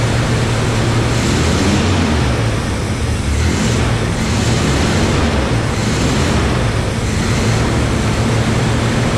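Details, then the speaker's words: Barn-find Camaro after reinstalling a freshly rebuilt carburetor, low on fuel: steady fast idle that never settles down, caused by a completely disconnected vacuum line. "I couldn't get the idle down for the life of me. And then I realized that I'm a meatthead because I had this vacuum line completely disconnected. So, of course, it was idling to the moon and back."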